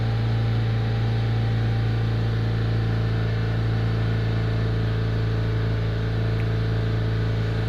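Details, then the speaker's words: 2005 Chevrolet Astra held at 3500 rpm: steady hum with cooling fan now on second speed, temperature dropping 10 degrees; overheating from late fan activation fixed by replacing a fan relay. "se escucha cómo ha entrado el ventilador en segunda velocidad quizás no alcancen la nota pero yo si lo percibo"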